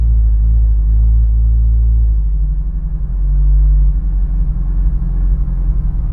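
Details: Honda S2000 with new spark plugs still misfiring: low lumpy idle with uneven exhaust beat and irregular stumbles coming through on blips.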